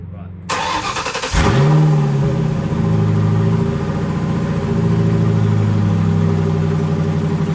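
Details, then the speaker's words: Bonnie, manual car on jack stands, first start after installing its fourth manual transmission, clutch pedal pressed: engine cranks, catches cleanly and settles into steady idle, no grinding or clunks from the gearbox; healthy start. "Alright, foot's on the clutch. I don't hear any weird noises yet. Oh, that feels good."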